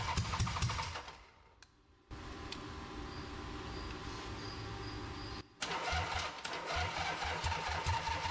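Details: Rebuilt Harley V-twin on off-road trike, choked with some fuel, cranks, pauses, then catches and runs with uneven low thumping near idle after a significant timing change; normal start and run.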